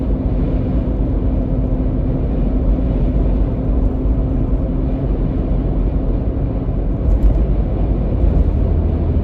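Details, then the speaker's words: 2021 Ford Bronco with Hard Top 2.0, in-cab while driving after lining roof panel seals with butyl foam sound-damping sheets: steady road rumble, hardtop chatter gone, slight whistle heard since new remains; fixed. "It's not chattering anymore. I still hear a slight whistle. That's a whistle that I've heard from the very beginning."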